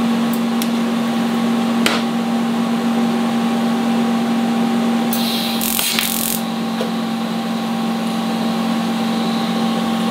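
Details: Vulcan ProTIG 200 welder, AC TIG welding aluminum: steady, even buzzing hum through the weld with a few light ticks; stable, normal AC arc.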